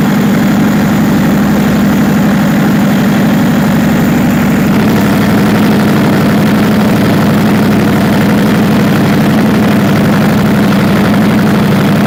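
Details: Perkins 4012 diesel after general overhaul with added pre-lubrication pump, before load testing: deep, steady beat at even pace with no knocks, misses or rattles; running cleanly.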